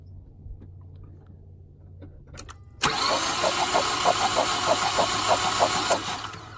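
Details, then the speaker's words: Mazdaspeed 3 during compression test: starter cranks with even beat about three per second, one cylinder reads no compression; owner suspects hole in piston, engine to be rebuilt. "nothing nothing that's pretty bad have nothing she does have like something uh now if there's a hole in the piston"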